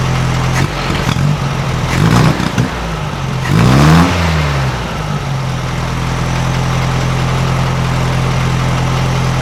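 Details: 1956 VW Beetle air-cooled flat-four with Solex carburetor after valve readjustment to 0.006in: even low burble, clean rises and falls when blipped, no knocks, misses or rattle; running well, much quieter than before.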